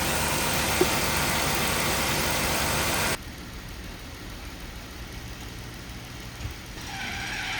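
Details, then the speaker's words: Jeep Wrangler idling unevenly, loud then quieter, with a quick steady tick about four per second. Misfire plus ticking noise, cause unconfirmed; the plan is to swap the coil and plug to another cylinder to isolate it. "I think that I think that there's a Jeep that is having a misfire or it's like making a lot a ticking noise. I think it's both, actually."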